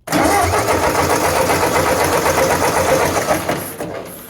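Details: 1996 Ram started with an EverStart 1000-amp jump pack: brisk, even cranking for a few seconds, then it catches and runs. It starts without trouble.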